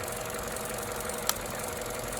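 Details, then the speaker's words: 2014 Opel Corsa D 1.4 idling with irregular rpm fluctuations and vibration: quiet, slightly uneven idle with a sharp, non-rhythmic click; cylinder 4 coil shorting high voltage to the engine block; points to coil pack or plugs. Ignition misfire. "So that pretty much leaves the problem to coil pack or plugs."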